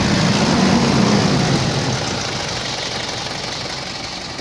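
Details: Mitsubishi L200 Triton common-rail diesel after fixing a faulty injection module: idles with a steady, even beat and no sharp knocking. Before the fix it knocked heavily with very high idle fuel pressure.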